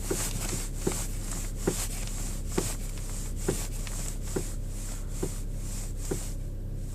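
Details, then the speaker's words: Skoda Rapid 1.6 petrol, about 28,000 km, cold morning below freezing: a dull knock about once a second when turning the steering wheel at idle, which fades or disappears once the car warms up; source unclear. "Утром на холодную машину появился стук при вращении руля. Сейчас попробуем продемонстрировать."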